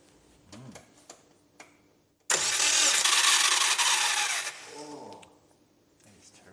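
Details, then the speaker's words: Subaru Brumby barn find with rebuilt engine, cranked with ECU disconnected (no fuel or spark): about two seconds of loud, harsh, high-pitched grinding whir with no firing; cooked, failing starter motor. "cooked starter motor e is what that is that sounds like it extreme yeah which way cooked starter motor"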